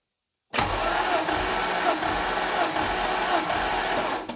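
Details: Coupe engine cranked during a compression test, checking smoking from a suspected oil ring or valve seal fault: steady cranking with even beats; even compression while cranking.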